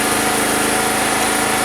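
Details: Single-phase petrol generator that would not start, starter cord replaced, fuel and filter checked, pipe fitted on the exhaust, started to check rpm: steady high-pitched buzz at constant speed, no misfires or hunting; runs normally.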